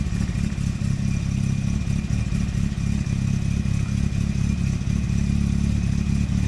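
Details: Circa 1991 Nissan Primera P10 1.6 carburetted petrol, cold start after engine gasket work: chugs unevenly, stumbling, needs throttle or stalls, light blue smoke; damaged carburettor valve not opening, too little air; fine when warm.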